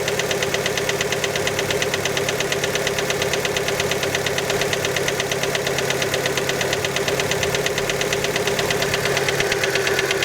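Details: Fiat Panda engine just after a cold start: a steady, even knock over the idle at about three per second; many suspect piston skirt slap, but the cause is not confirmed.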